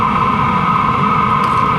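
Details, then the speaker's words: LF BROS N2 Pro 2024 diesel heater exhaust with its supplied muffler removed: a loud, steady rushing hiss with a strong mid-pitch roar. Unmuffled exhaust noise. "The other thing is the muffler. It is really quiet. Check this out. This is without the muffler on."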